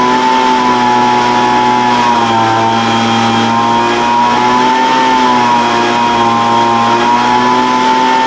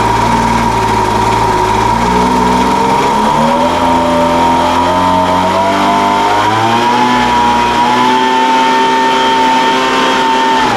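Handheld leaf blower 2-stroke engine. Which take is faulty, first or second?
first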